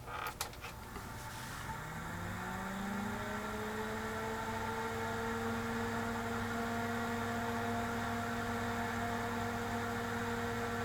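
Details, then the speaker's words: Tektronix TDS 420 oscilloscope rebuilt from a scrap box of parts: the cooling fan whir rises over two seconds, then holds a steady, fairly loud, noisy hum. "oh listen to that fan"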